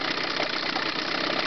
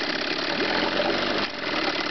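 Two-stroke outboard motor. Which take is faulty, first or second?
second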